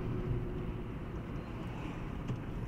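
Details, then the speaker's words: 2015 Hyundai i20 1.2 at 222,000 km on post-repair test drive, after earlier wheel bearing noise and new discs and pads: only low smooth road rumble, no hum or growl rising with speed; mechanic hears no bearing noise. "Dün bir ya da ses vardı arkadaşlar bakalım şu an var mı bilyede ses ustamız Onu kontrol ediyor"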